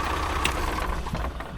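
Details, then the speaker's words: Diesel pusher RV engine shutting off cleanly when the key is turned off, after reinstalling the fuel shut-off setup; deep diesel rumble sags and stops within about a second; previously the engine kept running with the key off, fuel shut-off now working. "oh nice it's working perfect we only had a little bit of a squirrel there when when we fix this little setup here but that's working really nice now and and hey the fuel shut off is working man life is good"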